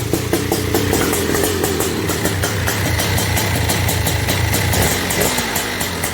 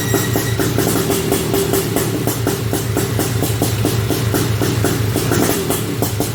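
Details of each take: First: Honda TRX250R two-stroke, first start, OEM ignition at zero-degree timing, 38:1 premix: uneven burbling idle with muddy, blubbery note; carburettor running rich and needs rejetting. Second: Honda TRX250R two-stroke, first start on OEM ignition, 38:1 premix: crackly engine revs hard then drops to steady popping idle about two beats a second, running on its own; pilot jet may still need adjustment.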